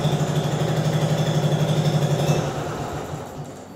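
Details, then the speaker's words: Translucidus MT02 transparent educational Otto-cycle engine running as a demonstration; putters evenly at about four beats a second, then winds down, clean normal run. "Eu vou ligar o translúcido para vocês terem uma ideia do que é um motor a combustão interna funcionando."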